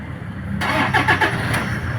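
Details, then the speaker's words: Toyota Hilux after replacing the alternator pulley and timing belt, which had caused a loud helicopter-like noise and the T-belt warning light: brief crank, then it catches at once and runs smooth and even with no whirring or rattle; normal start. "Oh, suwabe na mga boss, wala nang ingay."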